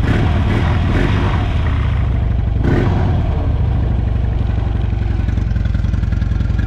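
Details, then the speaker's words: Salvage motorcycle with bent forks at a Copart yard, started in neutral; fires up and settles into a steady, low, slightly uneven thumping idle, running fine. "it runs not bad that's not bad it's not bad at all huh"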